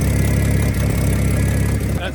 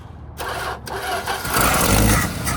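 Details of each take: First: 1975 Dodge pickup six-cylinder after a new, smaller replacement starter was fitted: even idle with a low steady exhaust beat, no misfire or knock; engine running smoothly. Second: Abandoned 1975 Dodge pickup, first start attempt with starter jumped by wire and an old smoking battery: slow labouring cranking about three per second, stops, cranks again and briefly catches; starter sounds rough and tired.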